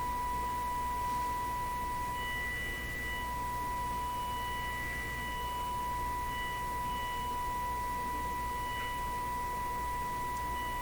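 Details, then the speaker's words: Nordmende Caruso console radio after FM alignment, fed a 1 kHz test tone from a signal generator: steady, pure tone with no buzz, crackle or warble; no audible distortion. "well i can't see i could hear anything that i would qualify as distortion listening to a single tone like that"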